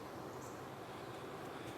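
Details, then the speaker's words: 2012 Ford Fusion with AC complaint: blower fan runs with a soft, even rush of air, no surging or squeal, after moving the blower resistor connector; fault was a loose connection, possibly loose pins. "Yeah, look at that. Oh, so it's working now. It was a connection issue."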